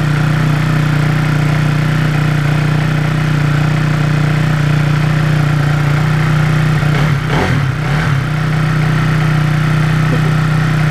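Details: 2009 KX250F, first start after new valves were fitted in the head: steady single-cylinder idle with even firing and a strong low thump, holding speed smoothly apart from a brief blip. Normal idle.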